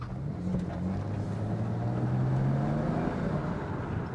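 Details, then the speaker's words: High-mileage (220k miles) E90 BMW 335i, bought at auction as a non-runner and now driving with still slightly hard shifts; deep engine drone rising smoothly under load as boost builds, no knocks or rattles; normal turbo boost under acceleration. "so yeah like you can hear getting in the Boost and everything it's pretty good"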